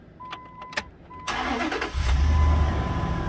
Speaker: sounds perfectly fine. No issues, no noises. Fans running because of the AC clicked on. Motor sounds smooth, I'm happy with that.